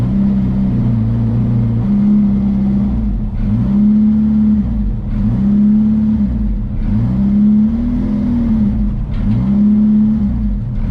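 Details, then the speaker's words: Boosted Honda Integra with factory distributor, in-car at Import Face Off Las Vegas drag run; revs climb hard then repeatedly stumble at the top under boost; sputter at high rpm, owner suspects coil and plug. "And the coil and plug hopefully takes care of, because anytime you try to pull real power on it, it just sputters, as you can see in the video."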